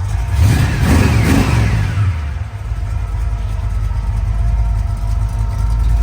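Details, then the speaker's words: 1969 Chevrolet Camaro Yenko tribute, rebuilt replacement 454 big-block (under 3,000 miles), gear drive, Hooker headers, Edelbrock intake, TH400 auto, dual exhaust: deep lumpy V8 revs a couple of times and settles to steady idle; normal, healthy. "Sounds real good. It's got a gear drive in it, Moroso valve covers, hooker headers, Edelbrock intake."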